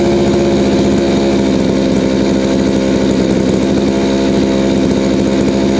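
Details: Chainsaw after high-speed screw adjustment cured a bog: smooth, even high-pitched buzz at steady high revs with no surging or four-stroking. It is running cleanly and well tuned.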